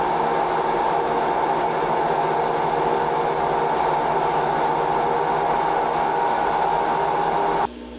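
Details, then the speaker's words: Front-load washer after the fix for a jet-engine roar while spinning: smooth, even spin with a steady hum, the drain pump now louder than the motor, with no roar or rumble; sounds healthy. "So now you you really hear the drain pump over the actual motor itself. So that is that is perfect. That's like a brand new washer."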